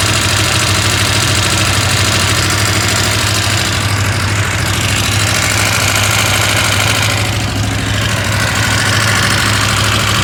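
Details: KTM 890 Adventure R idling loudly with fast uneven metallic chatter over the engine beat, reportedly quieter when driven; engine rattle at idle, cause not pinned down.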